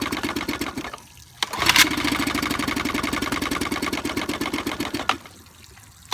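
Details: 1955 Evinrude 7.5 hp fleet twin two-stroke outboard under restoration (new coils, replacement carburetor, single-line fuel conversion): fires in a quick, slightly uneven putter for a few seconds then dies, won't keep running; needle adjustment pending, cause not confirmed.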